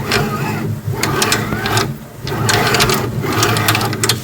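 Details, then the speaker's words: Creality K2 Plus 3D printer, left and right front belt tensioners: printer head moving back and forth with a gritty rasping grind each pass; bearings suspected shot on both sides, one worse. "sounds like the bearings or something in there are shot on both sides. This one does it too, but this one really did a bad job."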